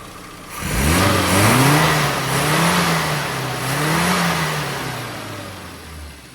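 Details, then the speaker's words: Metro with carburetor retuned (AAE needle, extra fuel 2,000–5,000 rpm, thicker dashpot oil): revs rise and fall cleanly and quickly with a crisp, even note, no hesitation or misfire; healthy revving. "and then what we needed to do was thicken the oil in the dashbot and now we've got an engine that responds really well so"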